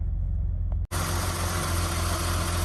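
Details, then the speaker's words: 1982 BMW E21 320 two-door automatic, very low mileage, six-cylinder idling after start, bonnet open: deep, even, very smooth idle with a steady low hum, no knocks, ticks, misses or funny noises; normal idle. "Yeah. E21 6-cylinder. Very smooth. Not making any funny noises."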